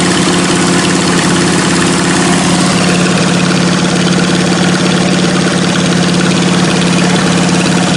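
Loud, steady, even idle with a raw, crackling exhaust bark and no knocks or misses; an open-piped twin running healthy.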